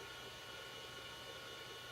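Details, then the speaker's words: Old Amiga A590 hard drive, about 30 years old, after defining a custom drive table and reformatting. A quiet, steady whir with fine even tones and no scraping, clicking or wobble; the drive now starts up and runs very smoothly. "But the drive itself, it starts up very smoothly now."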